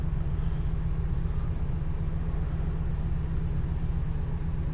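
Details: 2002 Ford E-350 Econoline, 5.4 Triton V8, just over 100,000 miles, after new spark plugs and one coil pack for a misfire, with a P0351 code: deep, steady rumble with even beat and no skip; running smoothly.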